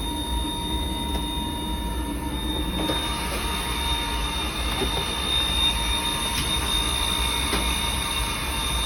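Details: Riello 40 F5 oil burner: a steady high-pitched squeal at constant pitch over the running roar. The motor bearing (sealed unit, no lubrication points) is the suspected cause.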